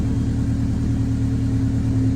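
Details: 1998 Honda Civic, check engine light, loss of power; after clearing codes: low lumpy idle with an uneven throb, no steady beat. MAP sensor suspected; live data shows MAP about 11–12, owner also suspects timing may be off.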